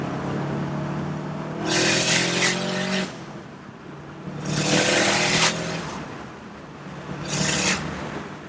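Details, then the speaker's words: Subaru STI after the external wastegate exhaust leak repair (new EWG up-pipe and gaskets), with the blow-off valve trumpet missing: three rev pulls, each ending in a sharp hissing whoosh as the blow-off valve vents; boost builds and releases cleanly. "Doesn't sound like a tractor. And we're making boost again. You can hear the blow off taking off."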